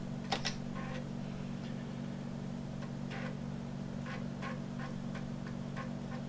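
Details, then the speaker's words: 1987 Amiga 500 booting from a Workbench floppy: steady low hum with irregular clicking and buzzing head steps, normal floppy drive seeking and reading. "I hear it grinding away. And there we go. Now we're getting the boot sequence."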